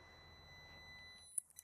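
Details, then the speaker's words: Steady multimeter beep in continuity mode, with a jumper across the unplugged two-pin Deutsch connector of a diesel wheel speed sensor circuit, shows continuity through both wires; circuit intact. "you can hear that audible beep letting us know that we have continuity and both wires in this wheel speed sensor circuit"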